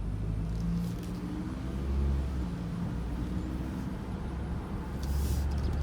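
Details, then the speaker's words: 2006 Volvo XC90 2.5L turbo after replacing stolen catalytic converters with an aftermarket kit, heard with door open: smooth deep steady exhaust rumble, no ticking or leak puffing; much better than the leaky straight pipe, a small resonator leak remains. "So it's way better sounding now compared to when it was like straight pipe with leaks on it."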